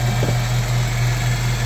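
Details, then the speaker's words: EF Civic sedan after timing belt work and lapping the valves: a steady low hum over an even idle that does not change; source unknown, owner suspects the timing jumped. "I'm just filming in case that noise happens and now flashing light works way off marked their way off there it is huming hearing a humming"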